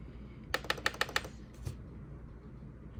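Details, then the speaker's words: Technics SL-MC7 CD changer after replacing a worn-out belt that had left the carriage immobile. A quick run of six even clicks, a soft thunk and a short whir as the carriage moves cleanly; normal carriage operation. "before I changed that belt. Um, that whole carriage CD changer carriage wouldn't even move. Um, the belt was just too worn out. So, with the new belt on, it works perfectly."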